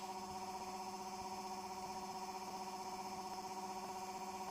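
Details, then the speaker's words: Homemade generator with nanocrystalline cores, spinning off load: a steady buzzing hum with a slight pulsing beat. The owner attributes it to magnetic core resonance, a drag point where the RPM locks before it accelerates past it. "that noise is the magnetic field resonating with the core materials. It creates this, it's weird actually, it does this at different various speeds. It seems to have a harmonic with the core material,"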